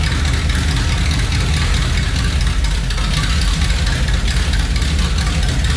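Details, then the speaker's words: Chevelle V8 on newly fitted exhaust pipes with no mufflers yet: deep, loud, booming rumble, stupid loud with heavy drone and vibration inside the car and rough from starting; mufflers still to be fitted. "honestly stupid loud and the drone inside just from starting at pretty rough yeah throwing in here is very bad"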